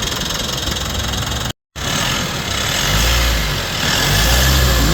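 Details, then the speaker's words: Mitsubishi Montero Gen 3, 4N15 diesel after the alternator pulley repair: a steady, even idle with a smooth low rumble and no squeal or chirp from the belt end. The earlier loud hum is gone, and the engine is now quiet. "Nawala na yung ingay dahil nga dito sa pulley ng alternator yan."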